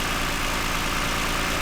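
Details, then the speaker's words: 2009 Toyota Highlander, 276,480 miles, steady quiet idle with even rhythm, no stumbles or skipped beats; runs smooth after swapping cylinder 2 and 4 coil-on-plug coils cleared the cylinder 2 misfire. "Actually runs pretty smooth, quiet. Partly why I bought it."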